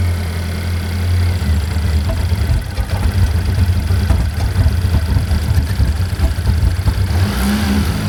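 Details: Chevy Equinox after an engine replacement, first start-up: steady, even low rumble with a small rev midway, no knocks or ticks. Engine idles smoothly and sounds healthy; smoke is blamed on stuff on the hot engine.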